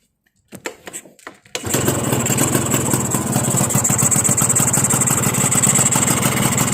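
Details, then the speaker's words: Carbureted motorcycle with a normal carburetor and no air leaks: starts after a few tries, then holds a fast, wavering buzzing idle of about 1,800 rpm and stalls if set lower. Owner suspects excessive compression; not confirmed. "เดี๋ยวท่านผู้ชมดูนะเห็นมรอบมันจะสวิงนะครับมันไม่ลงฮวบเลยนะเห็น"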